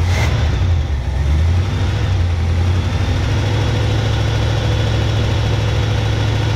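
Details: 1971 Chevy K10 4x4 pickup, small-block 350 V8, restarted after sitting about 10 years, choke on: settling into a low, slightly uneven, lumpy idle; carburetor gasket dry-rotted and leaking; owner suspects the old gas causes the low rough idle.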